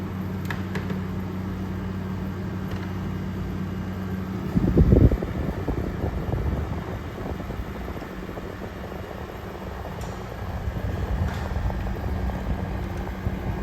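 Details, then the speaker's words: 2023 General Electric 5,000 BTU window air conditioner, nearly new, cooling mode; steady low fan and compressor hum, nice and quiet, even apart from one brief bump; normal cooling operation. "I mean, it doesn't make any noise though. It just sounds nice. It just sounds nice and quiet, you know?"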